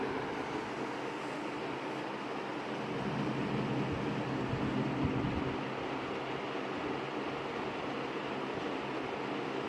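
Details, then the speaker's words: 20-inch Lakewood S223 second-generation box fan on low speed: steady even air rush over a soft motor hum, no scrape or bearing growl; bearings smooth, likely oiled once, only a slight grill rattle noted. "Yeah, aside from that grill, it sounds like it runs nice and quietly. The bearings on this are very nice too."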